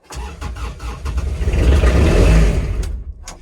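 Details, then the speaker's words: Kubota RTV900 diesel at -8°F: starter cranks at a steady beat of about three per second, the engine swells briefly but never catches. Owner suspects summer fuel still in the tank and has no Diesel 911 on hand. Cranks, no start. "this is one of the reasons i don't like to uh i think i've still got some summer fuel in this thing so i i think i screwed myself"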